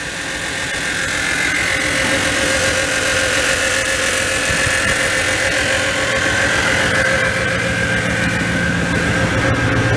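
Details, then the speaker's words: 1997 Dodge Ram pickup parked four years, now started after repairs: steady idle with an even rumble and faint hiss, no misses or knocks; oil pressure 40, check engine light on, oil unchecked. "check engine that's fine it's still there temp do we have oil pressure on you right there 40. good because I never even checked the oil let it run for a minute"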